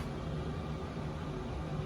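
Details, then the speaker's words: Chinese diesel heater in a Peterbilt 389 sleeper, heard from outside with no muffler fitted, about 10 minutes running at highest setting 6: steady low whistling drone, no surging or misfire puffs; normal running. "from the outside we don't have the muffler mounted so you can kind of uh hear it it has like this whistling drony noise and inside it's pretty hot already"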